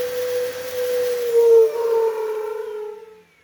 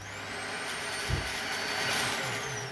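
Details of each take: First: Dyson stick vacuum gives a loud hollow howl over its motor whine when switched on and off, dropping in pitch as it spins down; an unsealed side air filter is the cause, not the motor. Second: Dyson vacuum, not sure which model, after a fix for its on/off howling noise, blamed on its filter: a steady high motor whine with an even air rush, no howling or surging.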